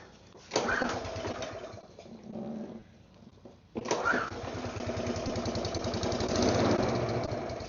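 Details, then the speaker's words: Neglected mower with all fresh fuel and carb cleaner in the system; the engine catches in rough uneven bursts, fades, then runs ragged; owner suspects fuel or possibly compression, and the spark plug was later found rusty from water. "It's got to be something with the fuel. Could be compression."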